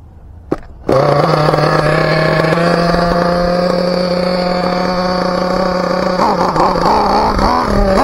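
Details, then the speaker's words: Team Associated MGT nitro RC truck, high-speed needle leaned one full turn, not yet tuned: high steady buzzing at full throttle that wavers and dips near the end, then cuts out; lean mixture, cause unclear. "now she's leaning out I don't know what the hell is going on with it she's running good there woo full throttle she turns off"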